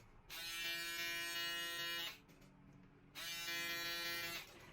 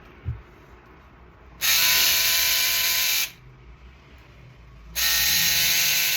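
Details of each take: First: Shaver after the noise-reduction fix and lubricating both foils with blade oil: switched on twice, each time a clean, steady hum with no rattle or buzz from the foils. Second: Você que tá com sua shaver aí bastante barulhento, aparecendo um trator, acompanha o vídeo aí.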